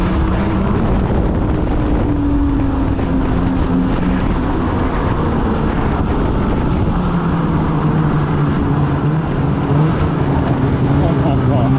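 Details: 2016 Polaris Indy 600 SP snowmobile after fuel filter fix and new Ultimax belt, grass-dragging at full throttle: steady strong drone holds pitch under load with wind, pulling hard and hitting target RPM; running good.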